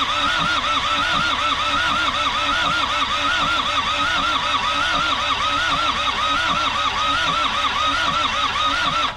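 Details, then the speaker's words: Isuzu P'up four-cylinder turbo diesel mini truck, sitting 28 years, now fueled; steady cranking with even compression pulses about two or three a second, turns freely but never catches; brake clean tried earlier didn't help. Crank, no start. "I know the brake clean didn't really do anything the other day but it might help it might help matters it sounds like it's trying to do something"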